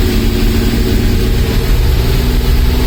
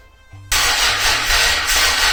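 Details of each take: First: Mazda MX5 with Rocketeer V6 kit on its first start: deep, smooth V6 rumble at a steady idle with no ticking, knocking or stumbling, running in wasted-spark rather than fully sequential mode; normal idle. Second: Rocketeer V6 kit (3-litre) swapped into Mazda MX5, first start attempt: steady even cranking for about two seconds but never fires; fuel pump and main relays swapped without success; fuel pressure about 2 bar, 3 bar advised, so the regulator will be raised next.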